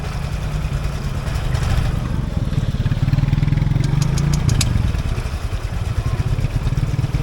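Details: Motorbike with CVT after stalling in floodwater: single engine revving unevenly with a rough, sputtering, surging pulse and stalling repeatedly while water is expelled from the exhaust and CVT.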